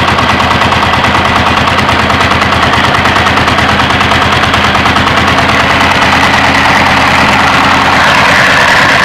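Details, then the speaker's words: Diesel (rice husk mill engine), unloaded: hard regular chuffing about three per second at the air filter; inner intake and exhaust valve springs all broken, intake valve leaking; also heavy exhaust smoke from worn piston rings, low compression. "Ini semua patah, bagian per yang dalam semuanya di bagian klep buang dan juga klep hisapnya ya guys. Untuk itu suara yang dominan kedengaran di klep hisap itu dikarenakan oleh per ini ya guys."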